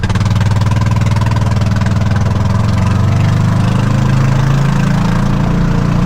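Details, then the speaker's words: Kawasaki Mule utility vehicle: heavy low rumble with a rough, uneven idle pulse and loud blatting exhaust that sounds terrible. Loud exhaust at idle; exhaust system suspected coming loose, unconfirmed. "Wonder if it'll even start. Yeah, listen to that exhaust. It sounds terrible."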